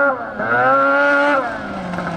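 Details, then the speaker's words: 13-year-old race snowmobile, two-stroke, warmed up: buzzy raspy drone that sags and stumbles low in the revs; bog off idle, owner suspects sticking power valve since it runs well cold. "sounds like a Nitro RC car it's not a happy camper yeah I hear it down low it's not happy"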